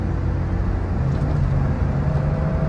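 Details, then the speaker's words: 2005 BMW X5 3.0i, previously cylinder 3 misfire and lean codes with rough idle, after repair: steady even low hum, no stumble or shake. Normal idle. "Oh yeah, we back, baby. That's what German engineering supposed to sound like."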